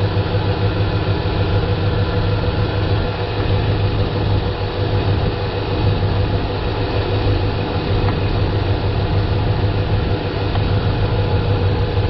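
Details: Dodge Ram 5.7L Hemi V8 (2003 stated, 2010 1500 in description), couple hundred thousand miles, after replacing a leaking power steering pump, idling while wheel turned lock to lock: steady, even idle, no whine or groan; fluid slightly low; normal pump.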